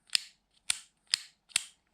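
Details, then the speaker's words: DeWalt 4557 7-inch grinder switch after refitting a misplaced metal strip: four crisp, sharp clicks about half a second apart with motor off; switch snaps on and off cleanly. "Seems to work just fine now though. You can even hear the switches clicking it"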